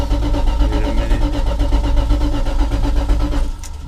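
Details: 1984 Dodge Ram W250 first start after new fuel pump, filter, hoses and carburetor, gas poured on carb: engine catches and runs with a steady low burble a few seconds, then shuts off; it fires and runs.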